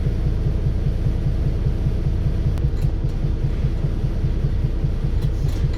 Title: 🤶🤶*Engine knocking* First leeds 69417 YJ09 FXE Volvo B7RLE